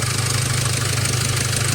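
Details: Volkswagen LT35 diesel van that cranked but wouldn't start, fixed by repairing a corroded 5 V supply wire to the fuel rail pressure sensor: smooth, even diesel idle with steady low clatter, no stumbling or misses; normal idle.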